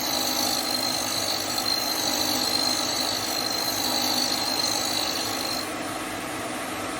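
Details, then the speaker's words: Hope Woodturning MK2 thread-cutting jig on a router at about 3000 rpm, 16 TPI male thread in beech after 3 clicks: steady high whine with an even cutting hiss easing near the end; normal clean cut. "je bloque et je vais avancer lentement le filtage se dessine"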